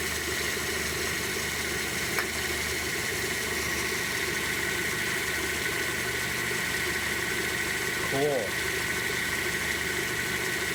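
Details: 1999 Chevy Prizm / Toyota Corolla 1.8L running with a steady, piercing high squeal near the belt area, traced with the belt removed to a slightly rusted, damaged A/C compressor clutch sitting too close to the drive pulley.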